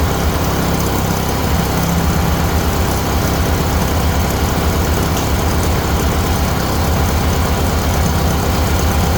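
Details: Huskee riding mower bought second-hand, battery not charged, run before the blade engagement test: deep, steady thrum with an even beat and no misses or knocks; the engine runs smoothly.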